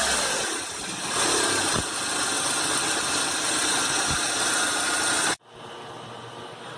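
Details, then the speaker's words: Renault Duster 2012 1.6 16-valve flex engine, about 69,000 km, idling: hissy, harsh accessory belt noise that stops abruptly at shutdown, caused by a seized belt tensioner that has lost its spring action. "o tensionador o outro está com esse efeito mola aqui muito duro está travando é isso que está causando aquele barulho da correia de acessórios"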